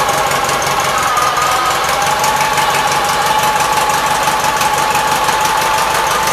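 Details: 1976 Gravely 816 single-cylinder engine in a quick, even chatter at steady speed with no misses or surging, after a missing fuse and a wire jammed in the fuse holder were found; normal running.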